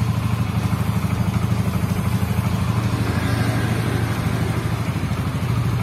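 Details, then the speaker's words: Xeon GT 125 scooter that had been hard to start, after the fix: it fires at once on the electric starter and idles with a steady, even putter and no misses. Advice given includes replacing the spark plug. "Alhamdulillah langsung tokcer guys distater aja dia langsung hidup"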